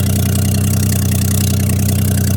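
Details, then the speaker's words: 1982 AMC Concord at idle: loud, even puffing chuff keeping time with the firing pulses; front exhaust pipe leaking after forklift handling broke it from a rotted hanger, front hanging lower than the chassis. "I hear it but it's somewhere in the front here because the front is hanging lower than the chassis"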